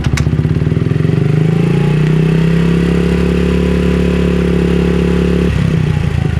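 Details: Honda CRF50 after fixing a pulsing idle by replacing the carb spring and the bent, damaged, slightly short throttle cable: small single idles steady and even with no hunting or surging; normal idle.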